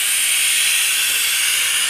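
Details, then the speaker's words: RamAir electric air compressor stopped: steady high hiss with no motor running, pressurised air escaping around the shaft seal. "it's squeezing all the air around the [Music] shaft and with it not running you could hear it really dushing out"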